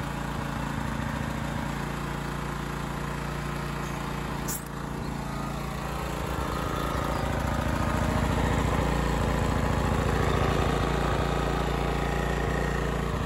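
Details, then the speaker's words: Honda EX1000 suitcase portable generator, choke off, wrong air filter missing, before an 800 W oil heater load is switched on: constant, even drumming at steady speed with no hunting or surging; normal unloaded running. "so you can hear it gently drumming away outside"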